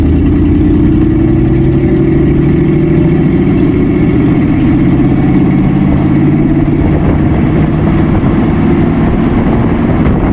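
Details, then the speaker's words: 1959 AMC Rambler 3-speed automatic, sat 40 years, transmission had been empty, warmed to operating temperature, driven before adding Seafoam Trans Tune: revs climb steadily for ten seconds, holding first far too long; very slow upshift into second. "All right, as you can see, shifting is really slow. I mean, you really got to get those RPMs up there just to get into second gear."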